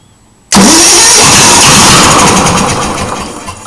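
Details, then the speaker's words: Onan engine after a new 12V two-lead motorcycle coil and new wires, with spark and plugs in, unprimed: loud cranking with a few uneven catches that die away. Seems only one cylinder fires. Owner wonders if it is getting enough. "sounds like only one cylinders firing okay it's got fuel it's got fire it's got air it's got compression okay but is it getting enough"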